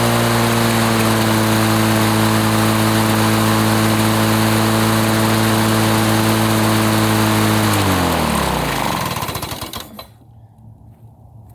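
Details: 1980s Lawn-Boy two-stroke mower that wouldn't run after running out of fuel, test-run after service: crisp, even two-stroke buzz at constant speed with no misses, then winds down smoothly to a stop; runs 3480 rpm, fine.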